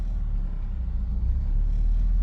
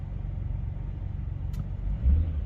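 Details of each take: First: BMW X5 E70 with a drivetrain malfunction warning: after a rev, a low idle rumble sags toward 1,000 rpm or below, nearly stalling, then recovers; the rough hunting idle is caused by faulty VANOS solenoids. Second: BMW X5 E70 after replacing both VANOS solenoids to cure rough idle and drivetrain malfunction warning, first start before clearing codes: deep even idle with three clean throttle blips, no stumble; now running smooth.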